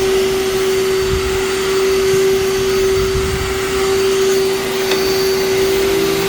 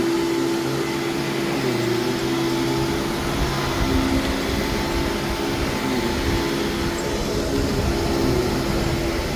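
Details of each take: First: Vacuum cleaner with brush roll in fantastic shape and very loose drive belt: loud steady motor whine at fixed pitch with rushing air, no brush strain; belt slips badly, no burning smell. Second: least [Music] that was nice and quiet and when the base plate isn't beat to crap it does work really well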